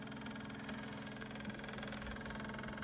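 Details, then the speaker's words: Kubota U17-3a mini excavator during service, ignition on, engine off: fast, even ticking buzz from electric fuel lift pump filling the newly fitted fuel filter after water was found separated from diesel; normal priming. "Let's flick the ignition. It should start filling it up. And that should be filling the fuel filter"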